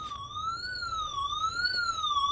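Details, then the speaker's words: Winees WiFi water leak detector (S1 Plus, 100dB alarm) by aquarium, water dropped on sensor: loud high electronic alarm warbling about once a second as leak is detected; alarm triggered. "starts beeping automatically. Tells you that there's some water leakage."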